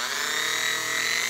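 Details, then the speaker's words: Sewing machine motor repurposed as a lathe spindle, after swapping the brush wires to reverse rotation to clockwise and cleaning the commutator: a steady, even high whine with no clicks or hunting. Normal running. "all right now we've got the motor to run the proper direction"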